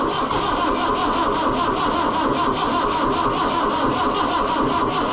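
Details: Oliver 1365 (Fiat 640) diesel tractor in cold weather, battery at 12.2 V: slow, laboured cranking at a steady beat that never catches; cranking, no start.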